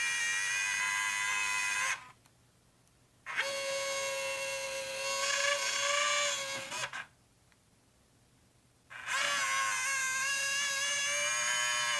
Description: My Nikon P900 developed this horrible grinding noise today :(